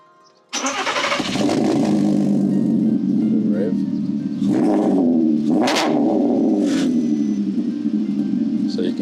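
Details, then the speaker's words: Custom valvetronic exhaust on a factory R32 3.2 VR6 Audi TT Mk2, which may need new flexis: clean start with exhaust valves open, then crisp, loud, even blips with a deep open note; prominent difference from valves closed; normal start and rev. "hear there's quite a prominent difference between the valves off and the valves on."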